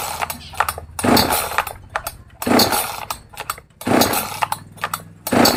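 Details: New Magnum G11 chainsaw, out of the box: repeated throttle blips flare roughly and sag instead of reaching clean high revs, bogging on acceleration from a lean carburetor setting needing tuning.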